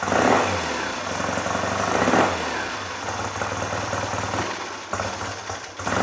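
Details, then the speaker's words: Classic motorcycle idling unevenly, sagging and nearly stalling after each throttle blip, weak pickup; won't hold tick over, carb setup, needle position and cables suspected. "it's not over happy to tick over at the moment see I'm flipping the FR here and it's dying on"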